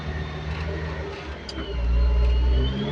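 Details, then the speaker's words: Caterpillar 580 telehandler engine after low-power fix (suspected fuel starvation, damaged wire, cable ties): low note climbs cleanly in gear, holds strong without stumbling, rpm good now unlike before; normal revving. "it's in good power now unlike before when you put gear and then in just a few seconds little acceleration the rpm is good now"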